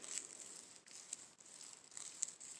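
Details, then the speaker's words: Differential removed and turned by hand, one bearing blown out and the bearings filthy: faint, dry, gritty rasp of dirty bearings grinding on trapped grit; gritty bearing grinding. "Like if they feel gritty or grindy, like I hear that grinding, but that's the bearing. Bearings are filthy."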